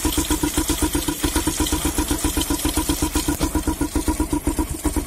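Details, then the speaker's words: Honda CB Twister bike that choked and surged at full throttle, after tightening the carburettor air mixture screw less than half a turn to richen the mixture. Even, steady single-cylinder idle with no stumbles; the firing problem is nearly gone. "आप देख सकते हैं आपको ये जो firing का problem भी था वो लगभग दूर हो चुका है। ये बराबर फायरिंग कर रहा है।"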